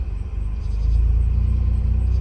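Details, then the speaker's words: 2004 Mazda RX8 manual rotary, just revived after 2 years sitting, gas pedal released: deep, lumpy idle that sags and wavers nearly dying, then steadies to an uneven pulsing rumble; mid pipe apparently missing. "Okay guys, I'm just gonna try to let go of the gas, see if it dies again. Okay, I let go. First it was like acting like it's dying,"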